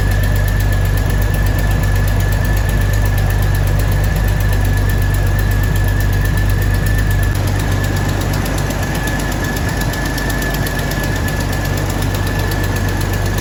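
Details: 2000 Jeep Cherokee Sport XJ first start after a new head gasket, thermostat and housing, and valve cover and manifold gaskets (old gasket failed, overheating): loud, steady low drone with a slightly uneven, stumbling beat and a faint constant whine; idling a little rough.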